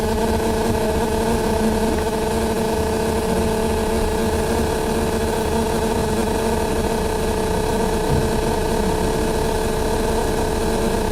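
A steady, loud droning hum with a constant mid-pitched tone that never lets up for the whole ride; source not pinned down.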